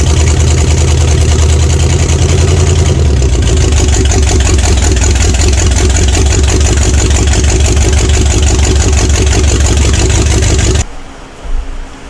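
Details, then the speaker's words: 1970 Pontiac LeMans with a Pontiac 350, abandoned for decades, first start with carburetor added: loud, rough but steady V8 rumble with no exhaust and no knocking, heavy smoke from oil put in cylinders; shut off for a leaking fuel pump. "so I got another fuel pump this sounds pretty good though got a lot of smoke of course that's all the uh oil and stuff I put in the cylinders"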